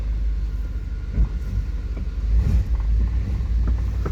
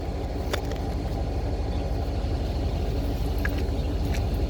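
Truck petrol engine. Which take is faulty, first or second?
first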